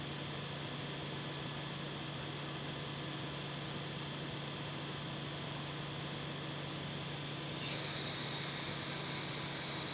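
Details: Creality CR6 SE 3D printer with stock power supply and motherboard fans replaced by quiet Noctua fans, mic on the print bed: steady soft whoosh with low even hum, no rattle or buzz; noise down from about 53 to 49 dB.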